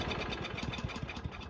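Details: Toro commercial 22295 mower with Honda commercial engine, stored all winter, no start on full choke: after a squirt of brake cleaner, quiet uneven chugging about eight beats a second that fades and stalls; suspected carburetor or old fuel in bowl.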